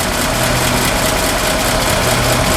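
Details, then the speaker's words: 1952 Ford F4 farm truck, mostly original, about 42,000–43,000 miles, flathead V8 (owner thinks same motor as 8N tractor) idling in neutral on a cold day, heard from outside: quiet, even tractor-like thump thump, no knocks or ticks; healthy. "and it has kind of a tractor motor sound to it, kind of a thump, thump, thump, thump, thump."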